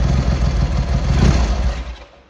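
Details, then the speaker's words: Triumph Hurricane X75 triple after carb rack rebuild and refit, pilot screws richened slightly and left carb adjustment corrected, not fully warmed up: settles to a fairly even, slightly lumpy idle with a blip, then cuts off; normal idle, carburetion close to right. "Still not warmed up yet, really. Getting there. That's better. So we're getting there."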